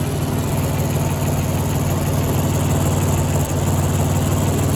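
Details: Audi A6 C5 engine idling with a raspy, puffing exhaust note and hiss over the low rumble, from holes leaking in the exhaust pipes and muffler. Fixed with special tape and high-temperature sealant cement.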